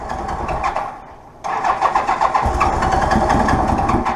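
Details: Honda GL1200 Goldwing, unregistered about four years, unknown if it runs: starter churns with steady cranking pulses for a long while before the engine catches and runs unevenly; long cranking, slow to start.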